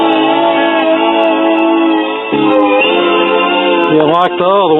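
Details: Crosley Stack-O-Matic CR-AT5 record player barely turning; music wobbles and sags in pitch, worst toward the end as the platter slows, wow and flutter from a slipping, stretched, shot drive belt.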